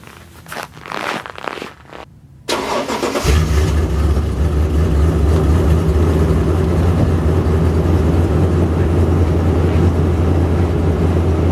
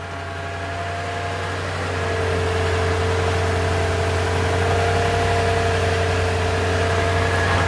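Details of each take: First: Toyota Tundra cold start at nine degrees outside: short crank, catches into loud, slightly lumpy rough idle, smoking heavily before smoothing; owner suspects the PCV valve and is replacing it. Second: Toyota Tundra V8 on a very cold morning (nine degrees): after a rough first start with heavy smoke it now idles steady and smooth, fan whirring in the background; normal idle.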